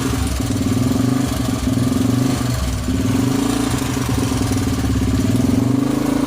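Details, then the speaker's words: Honda XL 100S restoration project, single cylinder: even idle thump rising smoothly with short throttle blips and settling back cleanly. No smoke, sounds sweet; normal idle. "Sounds absolutely sweet. Look. Sounds good, doesn't it?"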